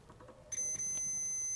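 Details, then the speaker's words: NiteCore New14 Intellicharger battery charger repair: multimeter continuity test across the AC input gives a steady unbroken beep, indicating a dead short. "to here. That's a dead short, that's not good."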